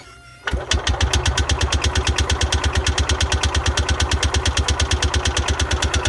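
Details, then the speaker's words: Parcar golf cart petrol engine with a new fuel line and carburetor primed from a squeeze-bottle tank: steady starter cranking at about three beats a second, never catching. Crank no-start because the choke was off. "Let me try it again. There it is. Okay. Helps if the choke's on."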